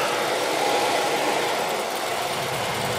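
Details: Old Goodman HVAC system in attic with no blower action, after replacing the old blower capacitor: steady, even rushing whir with no hum, scraping or hesitation; blower starts and runs normally.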